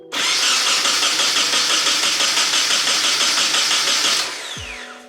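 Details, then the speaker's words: Nissan 240SX, first start attempt after sitting 10 months: starter cranks the engine steadily for about four seconds without a single catch; no start because the fuel line to the rail was left disconnected. "all right it didn't turn on but oh I don't even have the fuel row connected"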